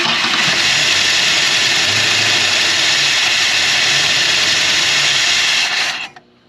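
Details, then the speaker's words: 1968 Ford Galaxie XL V8 first started after 38 years parked: loud, steady vacuum-cleaner hiss drowning out the idle, a vacuum leak at the carburetor base needing the correct gasket. "it sounds really good even though you can barely hear the engine because of how noisy the carburetor is sounds like a vacuum cleaner"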